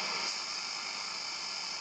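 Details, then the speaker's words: Vintage Braun SK25 tube radio after electronics restoration, antenna switched to mini whip: steady hiss and crackle with faint hum underneath, only the local station received and very badly; cause unclear, owner plans to swap tubes. "The only station I receive is the local station, and I receive it very, very badly."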